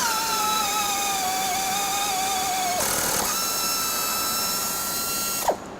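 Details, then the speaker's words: Tapping arm with a 1500 rpm helicoil motor tapping a 3/8-16 blind hole in mild steel: a steady high whir dips under load, then a smooth change and stop as the tap bottoms cleanly; normal tapping. "so right there you can see the 3 8 tap made all the way to the bottom successfully uh made some nice threads for us"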